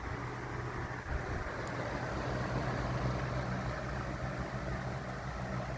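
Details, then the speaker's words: 1991-1992 Robeson 2393 fan after its warped plastic blade hub was replaced with a spare blade: a steady airy whoosh over a low, even motor hum, and the motor buzzing has stopped. "Doing away with this old warped plastic blade, and got one of my spare liquid blades on here. And the buzzing stopped from the motor. Sounds good now."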